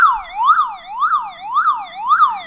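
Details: Old car alarm siren sweeps loudly up and down about twice a second after its wires are cut, running on its own internal backup battery; owner is deactivating it to stop false alarms.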